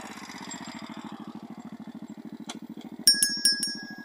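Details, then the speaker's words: Dax 125 Spigaou with new stock-style stainless exhaust and new intake manifold: small single putters at idle with an even, steady beat, no misses; louder, sharper than the old pipe but bearable, idle still to be raised and main jet lowered. "Bon, ça fait un peu, ça fait plus de bruit que l'autre. Mais là, tu vois, sans casque, c'est quand même assez supportable. J'en connais qui font plus de bruit que ça."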